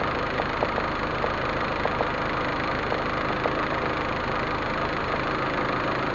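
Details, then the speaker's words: Proton Waja MMC, returned idle (stepper motor) valve tested on car after base timing set: step drops to about 20, even steady idle around 800 rpm with a smooth hum, no knocks or misses; normal idle. "Okey base timing kita sudah set. Nampak tak dia punya step drop sampai 20 macam tu. Alright, RPM pun dalam 800 macam tuulah."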